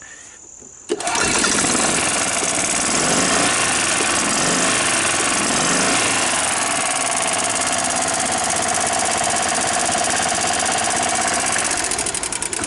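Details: 1993 Club Car golf cart petrol engine that had been hard to start and stalling, after a gummed carburetor was cleaned (jet blasted through), unused for over a year, oil checked: catches after about a second and runs steadily without stumbling or dying.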